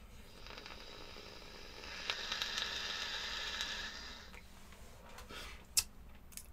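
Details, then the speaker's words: Vaponaute Le Turbo vape on first use after over-squonking; a spitting crackle and hiss through the draw, blamed on either the coil sitting too close to the air hole or flooding, the latter thought more likely. "That sounds terrible. What have I done? I've broken something. I've either got the coil too close, or I have actually flooded it."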